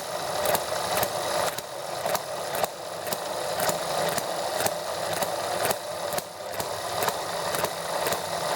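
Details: Small model ETX four-stroke engine on its first startup after a valve job: started easily and ran cleanly and evenly at a steady, fairly high-pitched buzz for about 10 minutes.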